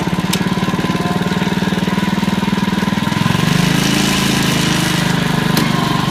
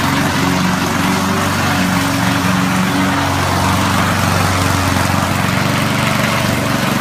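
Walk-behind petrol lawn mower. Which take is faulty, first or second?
first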